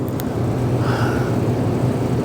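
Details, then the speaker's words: Overhead shop heater roaring above the alignment rack in 30s°F weather, steady deep even roar; it was blamed for disturbing the alignment camera readings during alignment of a 2016 Kia Optima Hybrid. "So as it turns out, you can hear the roar of the heater up above the alignment rack. This rack was just moved into this area just recently, and we hadn't done very many alignments. And since it's in the 30s outside, that heater is going crazy."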